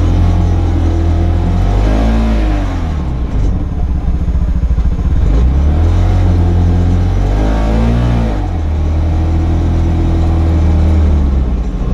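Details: CFMoto UForce 600 UTV, 2,500 km, test run after lift kit install. Revs climb and fall in long sweeps while drive lags, as if the belt drive slips under load; owner suspects the clutch, unconfirmed. Loss of power under acceleration.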